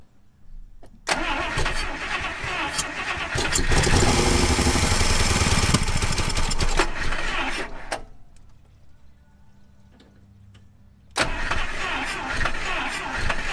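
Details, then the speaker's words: 1956 Buick Special, 322 Nailhead V8 with automatic transmission, sat 25 years, oil primed first: starter grinds, engine catches on poured-in gas and roars for about two seconds with 35 psi oil pressure, then dies. "well she does run everyone uh oil pressure actually came up to 35 pounds for the the two seconds it was running"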